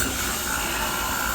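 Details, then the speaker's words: Manitowoc ice machine with panels off, previously not going into harvest and making oversized ice, forced into manual harvest via service menu: steady even hiss and hum, no knocking or grinding; normal harvest cycle engaging. "the sound that's definitely when it's going into a harness which we can check the pressures and service hi cycle of driving"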